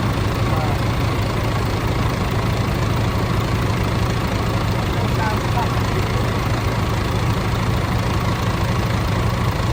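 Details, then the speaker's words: DAF CF85 Euro 6 diesel after top-end knock repair: worn inlet camshaft, rocker arms, engine brake replaced, tappets adjusted, fresh oil; even steady idle, regular low beat, no knocks or misfires, slight exhaust blow. Normal idle. "Bar that exhaust blow, I think it actually sounds alright. Where is it? Just so you don't think we're bullshitting, it starts. It sounds alright."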